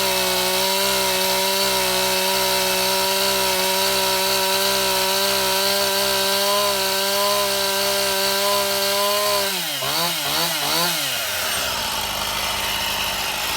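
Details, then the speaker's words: Stihl MS171 chainsaw after a new ignition module, correct spark plug and carburetor and filter cleaning: high-pitched two-stroke revs steadily, bogs and surges as it cuts wood, running clean and strong; the repair worked. "Okay, my camera ran out of battery in the middle of the test run, but as you can see, it ran quite Well,"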